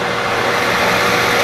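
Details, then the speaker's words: Lathe reaming to about 0.200–0.250 in depth: steady machine hum with a thin high squeal as the reamer contacts the work, the start of chatter. "that squealing? That's the start of chatter."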